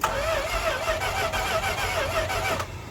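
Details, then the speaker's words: 1970s Dodge Adventurer 1-ton 4x4 crew cab dually, not run in 10 years, battery charged: steady starter whine for about two and a half seconds without firing; owner suspects no fuel reaching the carburetor. "It wants to go. It just needs the lifeblood sucked up into the carburetor."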